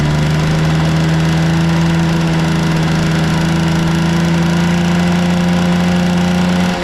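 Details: Vintage Honda 12V Squash (AB11-1055) moped, running check: a smooth, even buzz at a steady pitch with no knocks, rattles or misses; a quiet, healthy small two-stroke at normal idle with no abnormal engine noise.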